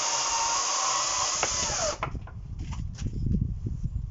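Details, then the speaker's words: HYCHIKA 36V 8000RPM brushless cordless chainsaw with a 14-inch bar, in performance mode cutting solid wood: a smooth electric whir through the cut that winds down after two seconds into wood clatter. Much quieter than petrol saws, and running normally. "As you can hear, it's not very loud considering it's a chainsaw. Compared to the obviously petrol ones, it's really quiet."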